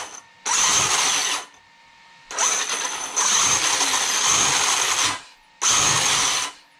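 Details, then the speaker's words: Traxxas X-Maxx 8S RTR RC truck after motor bearing repair, pinion/spur lightly greased, mesh set with some slop; harsh raspy high gear whir in bursts as it runs and stops; noisy gear mesh, owner suspects chipped teeth. "i got the mesh mesh feels good um gear's just a little noisy and that's because i looks like i m"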